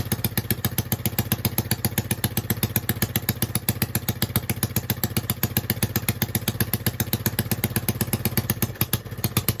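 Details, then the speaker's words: Honda 5.5 hp engine on a mini three-wheeler, rebuilt despite bent pushrods, with the choke off: a single thumping about four beats a second with a slightly lumpy idle. Still not 100% right. Rough idle, cause unconfirmed. "well still not 100% right but for it having bent push rods and a whole bunch of other stuff wrong with it I'm going to call out a win"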